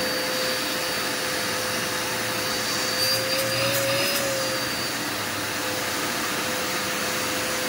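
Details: Curbside-found Dirt Devil Endura Max UD70175 vacuum after brush roll and belt refitted: steady, even whoosh of airflow with a constant motor hum, never surging or rattling; running properly.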